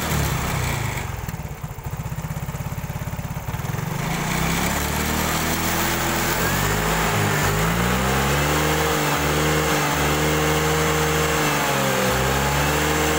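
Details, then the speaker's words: Yamaha Mio/X-Ride scooter that jerks and stalls suddenly, as if losing spark or fuel, started after the fuel pump was replaced. It catches after a brief crank, then revs up and down cleanly with a steady exhaust note; running normally. "Setelah penggantian pompa pempes, kita coba hidupkan apakah dia mati-matian lagi."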